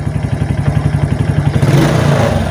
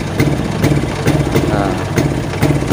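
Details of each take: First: Late-model Suzuki Titan that would stall or stutter when revved with a weak battery, now on a new battery: steady idle then smooth clean revving to high rpm; rectifier suspected if stuttering returns with battery disconnected. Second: Suzuki Titan/Smash motorcycle with a drained battery stumbles and dies when throttled; runs normally on a new battery, regulator/rectifier suspected as cause.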